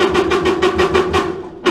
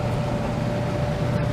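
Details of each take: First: Stacked clothes dryer that dried poorly and was noisy. A drum-support idler pulley, spun by hand with the drum weight off, gives a quick regular clatter of about six knocks a second, slowing as it coasts: worn, bad idler pulley needing replacement. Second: Stacked clothes dryer after a repair for poor drying and noise, with idler pulleys checked and lint cleaned out: a steady, even drum rumble and smooth low hum with no squeal or thumping. It runs normally, like new.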